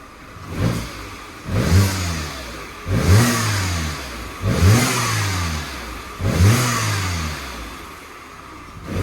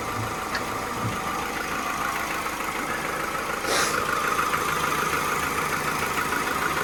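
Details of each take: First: Cheap auction car idling well with oil weeping from the cam cover, blipped repeatedly: each rev carries a rushing hiss over the rise and fall. It sounds like an air or boost-type leak; not confirmed. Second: Cheap salvage-auction car, likely chain-driven cam, oil leaking from the cam cover: steady, even idle with a light regular tick and no misses or knocks; ticking over well, though a leak-like sound was suspected.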